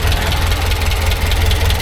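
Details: Talbot Express campervan engine after an oil change, nearly up to temperature with the choke fully off: a steady low idle with an even, deep throb, quieter at the bottom end and no knocking. It sounds healthy.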